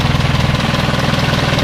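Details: Isuzu 4HL1 diesel after troubleshooting a crank-but-no-start fault involving the fuel shut-off valve: steady, even idle with a quick pulse and light clatter on top, no misses; healthy.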